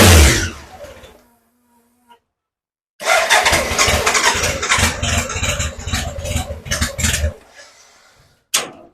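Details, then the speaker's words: BMW K100 motorcycle, first start after cleaning fuses and priming fuel pump, choke on, bike on a jack: fires and runs with sharp throttle blips, picks up cleanly; normal running. "okay so as you can imagine I'm pretty pleased that the bike actually runs"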